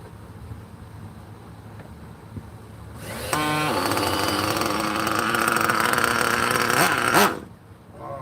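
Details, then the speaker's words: 27-year-old vintage nitro RC car, engine cold with no glow heater, owner suspects cold or oil puddling inside: after a pull it catches, screams unevenly about four seconds, then cuts out; hard starting, cause unconfirmed. "did you hear how the engine didn't want to like start I don't know what's going on with that"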